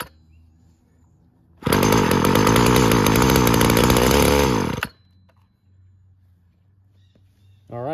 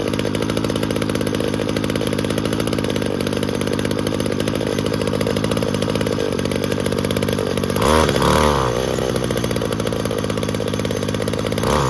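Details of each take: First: Weed Eater GTI 19 two-stroke trimmer from an estate cleanout, with fuel mix primed into the cylinder and stale tank fuel: fires and buzzes high for about three seconds, then the note sags and it dies; it runs only on primed fuel, pointing to a bad fuel supply. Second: Weed Eater GTI 19 string trimmer, about 33 years old, from an estate cleanout, after carburetor/metering diaphragm work: high, buzzy two-stroke drone holding steady with a couple of brief throttle blips; runs smoothly and evenly.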